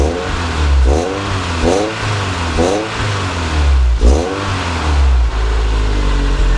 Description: SW20 MR2 触媒排気漏れ修理後の音です。